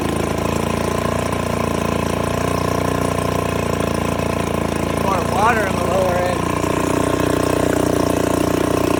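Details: 1969 Johnson Sea Horse 1.5 hp two-stroke outboard, running for the first time in years after the choke cable was extended: steady fast even buzz throughout. Normal running.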